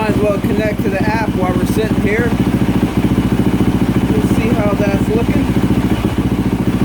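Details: 2024 Yamaha YZ450F single-cylinder, filled with water after overheating repair (melted water spout), warming up at idle; app shows no trouble codes, 13 volts. Steady, even beat about 3.5 per second, no misses; healthy.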